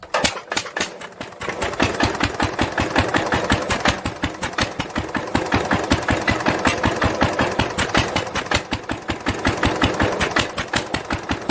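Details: 1946 International LBBR 3-5 hp hopper-cooled engine off a hay press, with a homemade glasspack muffler fitted, recorded from about the same distance as before: sharp, even exhaust pops roughly 160 a minute over a steady background; normal running.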